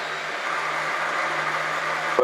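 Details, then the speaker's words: Minitrix N scale locomotive motor after cleaning, run on test clips at DCC address zero before reassembly: steady low electrical buzz, then it breaks off; runs forward and reverse but won't start at slowest speed; cause unclear. "the motor runs. [Applause] doesn't really start up and go the slowest, but it will [Applause] reverse and go forward."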